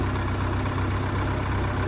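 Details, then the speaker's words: Volvo Penta 3.0 GLP-J (GM block) marine engine heard from mid-boat: smooth, even low rumble at idle with a steady beat and no knocks or misses; normal idle. "i'll be starting the motor right now and you'll see this is the engine running at uh idle"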